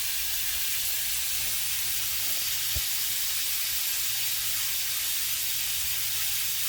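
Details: 1/2" copper 90° elbow spraying water at 110 PSI due to a non-functioning pressure-reducing valve; a steady, loud high hiss with no pulsing. Pipe leak spraying.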